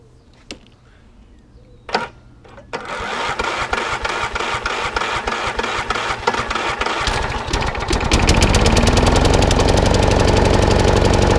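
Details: Electric-start mower after a partial service, battery charged and primed with about 10 pumps: a couple of clicks, then it fires off the key and settles into a steady, even beat; starts and runs normally, drive works, full service still due.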